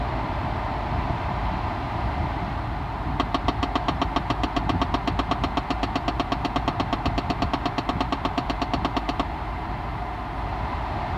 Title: 2011 Chevy Impala lt Knocking Noise from behind the glove compartment